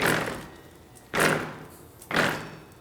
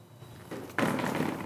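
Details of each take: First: there's some vibrations it sounds like it's clunking there's just doesn't sound good it doesn't sound right so now we know the problem is in this region Second: Bicycle drop test, rear end lifted and dropped: solid thump without loose rattle, seems normal; the clunking was traced to the front end instead.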